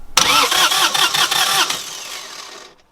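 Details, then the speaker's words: Northern Lights 12kW diesel genset after cylinder head replacement and valve adjustment, bleeding fuel system: starter cranks with even chug about 2.5 beats/sec, no firing, because fuel solenoid is off so only starter engages. "okay i've just realized that what i was trying to do there will not work because um the fuel solenoid's off this is only engaging the starter"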